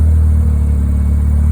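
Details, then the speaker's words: Mazda 13B rotary in a Willys Jeep with FiTech EFI, after retune adding fuel (fast accel 50, accel pump 29) for tip-in stumble; deep rotary burble after a blip shows a little bobble, then settles to even idle without hunting, normal. "there's a little bbal but it comes back down and it doesn't seem to struggle"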